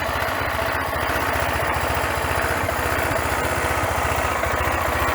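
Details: Bike named Gina, a newly acquired machine planned for modification: crisp, regular low thumping at steady idle with no misses, knocks or rattles. Owner says it runs well, engine running perfectly with no faults.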